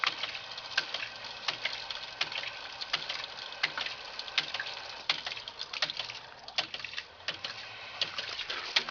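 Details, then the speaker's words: Gravity-fed ram pump with about 4 ft of fall from a source bucket: sharp clacks repeating slightly over once per second with steady spacing as the valves cycle normally; pressure gauge reads nothing, considered faulty. "gauge is bad because I'm not reading any pressure but the pump certainly works so basically gravity is forcing this pump to operate now I'll crack this valve here and you'll hear you'll hear the second valve start clicking"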